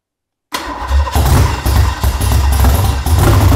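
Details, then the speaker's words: Rebuilt junkyard Ford small-block V8 on a DIY run stand, first fire after teardown and new parts: brief crank, catches at once and settles into a strong, deep, steady rumble with no knocks or misses; sounds great. "that sounds awesome it sounds great all right you heard that is good that is good that thing came right to life it sounds amazing"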